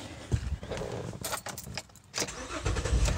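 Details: Car with a no-crank caused by a poorly fitting battery with loose terminals; after reconnecting, a short crank, then it catches and settles into a steady idle with no clicking; normal engine start.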